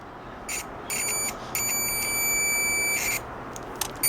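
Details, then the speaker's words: New Chinese multimeter on continuity setting with its original buzzer: thin, high beep in uneven bursts as probes touch, audible but weak; owner plans to swap in a microwave-oven board buzzer for louder sound. "vamos a escuchar aquí él este multímetro que trae su cocinita original su bus si se escucha pero no como a mí me gusta"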